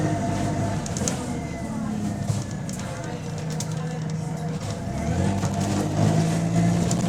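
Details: GAL SE152 diesel bus on route 386, pulling away: a raspy puffing that grows louder as it accelerates, which points to an exhaust leak.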